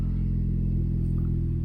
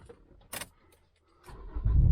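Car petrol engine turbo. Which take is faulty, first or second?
second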